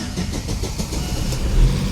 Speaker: Ayun andar na. So good din mga boss.